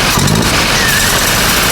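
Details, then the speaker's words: VW Golf 7 GTI just after engine rebuild, started on a fresh battery with intake pipes not yet fitted and many faults stored: sharp, steady idle with even hiss, no stumbles; normal idle, no misfire. "Car starts nicely. Sharp. Doesn't sound like it's got a misfire."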